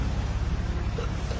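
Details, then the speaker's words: BMW on braking: thin very high-pitched squeal over a low rumble as brakes are applied; worn pads on a worn disc. "Bila tekan brek. Ha tu dia bunyi. Ha dia bunyi. Ha bunyi macam tu. Ada masalah brek."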